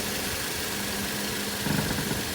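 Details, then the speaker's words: 2014 Toyota Corolla idling, engine pushed down by hand under the hood: steady hum broken by a rough rattling burst from a worn engine mount whose rubber bushing lets metal hit metal; mount replaced. "i'm pushing down on the engine just a fair bit that's what the customer's complaining about a loud rattling noise"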